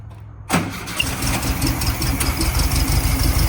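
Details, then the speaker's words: Garage-find Ghia project car. The starter cranks briefly, the engine fires right up and settles into an even, chattering idle. There is no rattle or other noise, so it is a clean, healthy start. "Motor doesn't rattle, doesn't make any noise."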